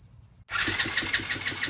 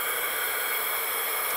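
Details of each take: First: TaoTao 110cc ATV engine after a full top-end rebuild with new piston, rings, sleeve and valves: even, strong cranking pulses at about five per second, healthy and consistent compression, measured at about 155. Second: TaoTao 110cc ATV engine, not running, leak-down test before rebuild: steady airy hiss of compressed air escaping from the intake. Zero compression; intake valve found stuck slightly open.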